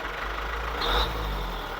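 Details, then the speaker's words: Diesel auction vehicle with a hydraulic dump bed and a low odometer reading: steady, even idle with a low, smooth beat and no knocks or misses; the engine is very smooth and no check-engine light is on. "Kalau kondisi mesin masih mantap, masih sangat mantap, sangat halus,"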